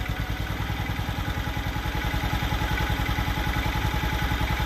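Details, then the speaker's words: Cabriolet idling after start, compression 121 PSI, checked for blow-by which feels normal: steady even low-pitched idle pulsing about 158 beats a minute, no misses or knocks; normal idle. "Okay, we got it running, idling. Want to make sure there's not a bunch of blow by. Feels normal."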